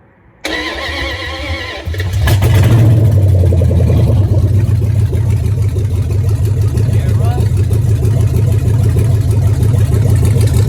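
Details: G3 5.7 HEMI V8 in a 71 Challenger convertible, started via a PCM start and hot-wired ignition switch: about 1.5 s of cranking, then it fires, flares up and settles into a steady, even idle. Normal start.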